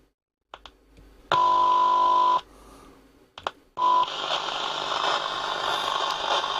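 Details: Soundesign 2422 transistor radio: a steady test tone plays, then cuts out abruptly when the board is touched; an intermittent connection, with a faulty transistor suspected.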